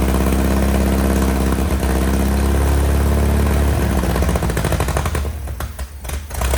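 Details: 1961 VW Beetle barn find, unmuffled air-cooled flat-four after years sitting: steady, loose chuffing idle with an even pulse and no knocks, settling as it dies away; healthy, rear main seal leak suspected.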